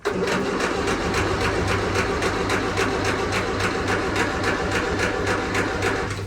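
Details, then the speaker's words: Series 1 Land Rover that ran fine earlier and had earlier blown a fuse: the starter turns it over at about 3.5 beats a second for several seconds but it never catches, even with a little throttle. No fuel pump noise is heard at ignition-on; the owner suspects the fuel pump. "It's absolutely nothing, even if I just got to foot on the accelerator a little bit. Just nothing."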